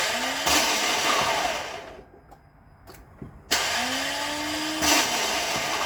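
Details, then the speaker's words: Lexus LS460 with a faulty starter, before starter replacement; turning the key gives a few sharp single clicks with no cranking. Suspected, not confirmed: the solenoid plunger is not pushing the pinion out to engage the flywheel. "so you hear it it seem like the plunger is not pushing that pinion out to engage that flywheel"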